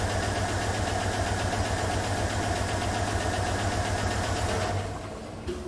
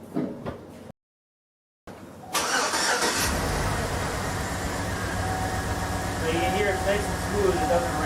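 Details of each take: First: 2007 GM 5.3L V8 with AFM/Displacement On Demand idling with a sharp, steady tick about four per second: collapsed AFM lifter, associated with misfire codes. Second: 2007 GM 5.3L V8 with displacement on demand (AFM) that had lifter ticking from a collapsed lifter, now with DOD programmed out by a tuner; cranks, catches and settles into a steady, even idle with no valvetrain ticking.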